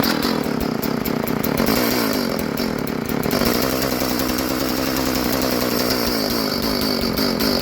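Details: Old Stihl FS 36 trimmer sitting 2+ years, started with new clear primer and choke nearly on: high buzzy two-stroke note holds steady with no stumbling or dying; runs properly.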